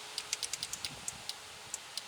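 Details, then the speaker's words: 2005 Chevy Tahoe door power window: relay clicks on and off with no motor hum when switch pressed; motor gets no power due to a bad connection at the motor, not a bad motor. "I can hear the relay clicking on off you can or not okay push down on the switch that's my problem right there so it's the connection problem bouncing off the motor"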